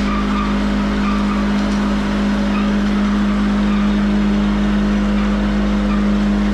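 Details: Van Dale silo unloader started in the silo after being hung, cable tightened, greased and oiled; steady even motor hum at one pitch, no knocks or grinding; drive wheels pushing it around smoothly; working good.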